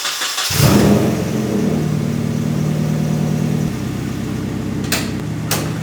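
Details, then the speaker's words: Nissan 240SX with freshly built engine on solid engine mounts, first start after radiator zip-tied back from the shroud: starts, flares, settles to steady idle with light rattles from the solid mounts and no fan hitting the shroud anymore. "Way better. Now, if we listen there is not that sound. Everything it is rattling cuz I have I put solid engine mounts which just makes everything rattle and it's a lot noisier, but you're not hearing the the fan hitting the shroud anymore."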